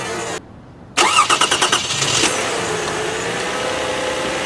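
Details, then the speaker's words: Car that sat 11 days and had cranked briefly and stopped, battery new since October, restarted in January: short crank that catches within a second, a few quick firing pulses, then an even, steady idle, starting normally. "I have a sneaking suspicion it's going to start perfectly normally."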